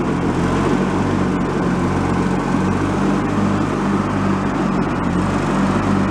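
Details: Free, previously derelict Craftsman riding mower, function check after electrical and safety-switch repairs with spindles checked not bent: even engine drone and low hum, no grinding or squeal from the deck. Deck fairly quiet, bearings not noisy, normal operation.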